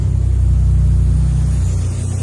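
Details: Toyota Chaser 1JZ-GTE VVTi, stood 5 years, push-button start, port blanked with a cap: deep even idle rumble with steady pulses, no knocks or ticks; idles perfectly.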